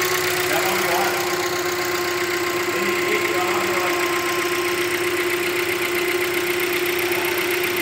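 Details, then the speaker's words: Hyundai Creta 1.6 engine running: a steady, even idle with a constant mid-pitched hum and no uneven knocks. Characteristic normal engine noise, not a defect. "Barulho normal do motor, tá vendo? Funcionamento normal, galera. Não tem problema, esse barulho dá pela manhã."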